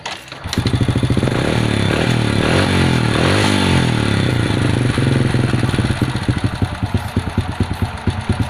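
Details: Supra step-through motorcycle that would not start, after adjustment; catches and revs, then drops to a steady, even single-cylinder putter without knocking, idle properly set; normal idle.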